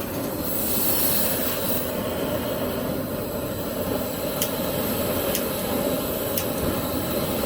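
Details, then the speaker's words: ROVSUN three-burner high-pressure propane outdoor stove, 225,000 BTU, 20 PSI regulator, third burner lit on a very low setting: steady, powerful hissing roar with no sputter or popping, normal clean burner operation. "Let me do the third one. Ooh. Very, very powerful."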